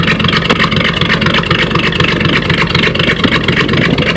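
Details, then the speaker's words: 1954 Chevy 210 idling with muffler replaced by a straight pipe, rest factory pipe: deep, loud burble with even pulses about four per second, no misses; healthy idle, not as loud as hoped. "this is what it sounds like with a a full exhaust system with no Muffler just straight pipe all the way"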